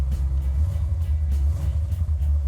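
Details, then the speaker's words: 1970 Dodge Challenger 440 Six Pack with 4-speed, three 2-barrel Holley carburetors and a Comp Cam of 284 duration. Deep, loping idle with an uneven rhythmic chop from the big cam; a normal, healthy cammed idle. "Idle's nice, has a nice bump stick to it."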